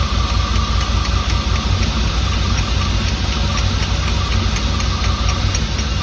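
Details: 1989 Firebird Formula 350, 10,000 miles, long stored, injectors gummed and being tapped free: uneven lumpy idle with ragged low rumble, some cylinders apparently not firing; cause suspected, not confirmed.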